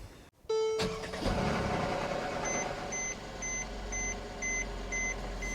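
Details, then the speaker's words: Mercedes-Benz A350 M276 petrol V6 starts with a rough, clattering rattle in its first seconds, though the engine was run 30–40 minutes earlier; timing chain slap, usually caused by the two tensioners. "So, you can definitely hear that it's uh very rattly in the beginning. That rattling noise on these engines usually comes from the chain slapping and that's usually due to uh the tensioners."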